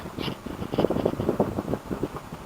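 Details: LG room air conditioner, noisy for a month; technician can't find the cause, owner fears fire. Uneven rattly buzz with irregular bursts over a low hum as the cover visibly shudders. Something loose inside is suspected.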